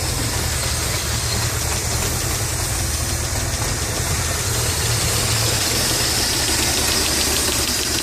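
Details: Mitsubishi Stealth twin turbo at idle: light, fast, uneven ticking about three per second over a steady idle; owner suspects lifter tick, not confirmed.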